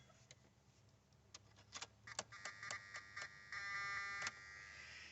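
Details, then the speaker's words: 2002 Mazda Tribute crank no start with no fuel pressure or prime, key on. Faint clicks, then a thin high buzz holds a couple of seconds before dropping back, loudest at the transmission top below the battery; cause not yet found. "ht there it is the loudest but can also be heard throughout the engine uh slightly but you can still hear it through wire connections uh air lines fuel lines"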